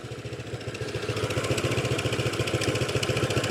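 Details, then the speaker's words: Honda PCX150 scooter at idle: fast even pulsing with a buzzy metallic rattle on top, also heard while moving or at higher rpm. Owner traces it to the vibrating factory exhaust baffle, though not fully certain. "No, maybe I'm just seeing vibration from something else, but it's definitely coming from the exhaust baffle. That's strange. Yeah, that's the exhaust."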